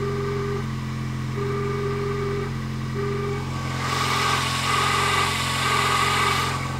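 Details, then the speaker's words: 1999 Toyota Corolla 1.8, cold engine at idle: light repeating knock about four times a second, more knock-like at lower engine speed; pulley seen wobbling, suspected loose. Cause: power steering pump pulley. "before there it is yeah it sounds a little more like a knock when the engine's slower"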